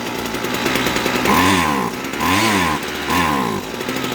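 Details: Husqvarna 122HD45 two-stroke hedge trimmer that only ran on choke, idling with choke fully in: note sags and stumbles each time throttle opens before recovering; bogging from lean high-speed mixture, carburetor and fuel line faults, no air filter fitted.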